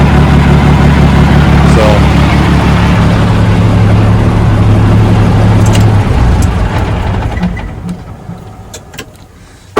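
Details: 1987 Ford LN9000 house-moving/wrecker truck diesel, revived the same day after sitting in a field about 20 years: a deep, steady idle with an even firing beat for about six seconds, then it winds down. Runs right.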